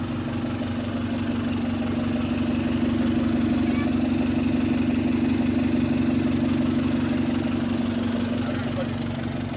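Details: GAL SE152 bus on Route 386 idling in neutral: loud, rapid, harsh exhaust rasp at about three pulses a second, suddenly appeared one night. Suspected exhaust leak, possibly a pipe dented by hitting something. Cause unconfirmed.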